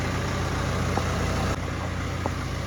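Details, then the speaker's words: 2011 BMW E91 diesel with 6HP21 automatic, first cold start after a gearbox replacement that cured a previous ringing. The torque converter is not yet full of oil. Steady even idle with a smooth low rumble and no ringing or whine: normal. "Всё, тишина. Шелишка нема. Гублик ещё не набрал масла, насос ещё не накачал, но уже всё хорошо."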